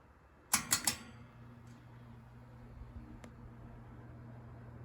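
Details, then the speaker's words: Older Coast-Air 12-inch box fan test-run, starting on low speed; after switch clicks, a faint steady low hum with no rattles, screeching or squeaks, blades well balanced. Normal running. "no noise no rattles or squeaks good blade balance"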